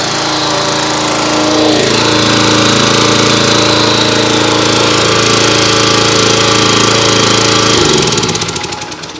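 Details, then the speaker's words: Simpson pressure washer, Kohler SH Series engine, after a second ultrasonic carburetor cleaning: holds a steady, even drone with no choke and no stumbling, then winds down cleanly at shutoff. Normal running. "So that was with no choke at all. So that second time in the ultrasonic really did the trick."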